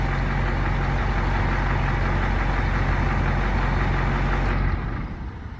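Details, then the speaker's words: Fire truck with a Caterpillar 3208 turbo diesel, restarted after sitting almost a year, idling with a constant airy hiss over the rumble; an air brake leak near a brake valve that needs taking apart and fixing. "I do have an air leak. You hear it? And this valve somewhere right here for my brakes. I've got an air leak I got to take care of. I hear it leaking out."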